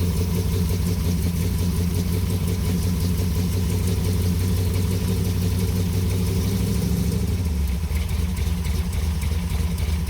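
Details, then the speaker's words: 1973 Plymouth Satellite big-block stroker at idle: deep, lumpy idle with a fast light clatter on top that stays steady; valvetrain has always been noisy, with oil burning from a suspected valve cover leak. "he way the valve train on this engine has always been noisy you're going to hear that really bad on camera it's not that bad in person"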